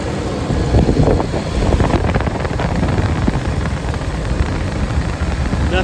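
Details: 2005 Ford F-150 Lariat 5.4L Triton idling after replacing serpentine belt, tensioner and idler pulley for an engine whine: steady low rumble, no whine or squeal, partly masked by wind; normal idle.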